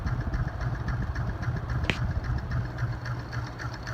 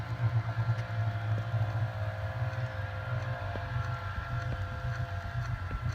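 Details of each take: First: Hunter C-18 ceiling fan, light kit removed and an on/off switch added: a steady hum with a soft rubbing tick three or four times a second; the owner suspects a ring part is pushed in too far, not confirmed. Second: Hunter C-18 ceiling fan after removing the light kit and adding an on/off switch: a steady low hum with a soft, even whoosh and faint ticks, no wobble or rattle. Normal running, quieter than before.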